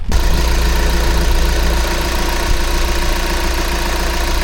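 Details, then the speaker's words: VW T5.1 van diesel at idle after replacing the N75 boost control valve that caused a mooing noise at shutdown; starts and settles into an even clatter with no moan or drone, and no mooing at shutoff: repair fixed. "Well, it's running fine. Let me just turn it off and let's see if it makes a ming noise. No mooing noise, but I'd say that that has fixed it."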